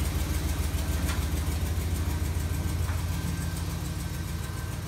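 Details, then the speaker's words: GM 5.3 V8 truck, driver-side exhaust manifold leak from a broken-off stud (second back from the front), later fixed with a Dorman 917-142 clamp. Light, quick ticking about three per second over the idle, noticeable on cold start and easing as the engine warms. "we could hear it on a cold start pretty noticeable ticking that got better as the engine heated up"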